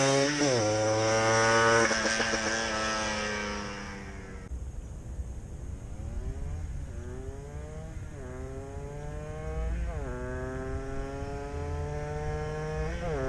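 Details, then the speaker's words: Benelli fitted with a Blaster two-stroke motor, finished build on shakedown runs in a parking lot; crisp throttle blips rising and falling smoothly, pitch tracking throttle cleanly; normal running of a freshly built engine. "we'll try and get some run video here it just be few minutes of run video just in the parking lot here but at least you can hear it run"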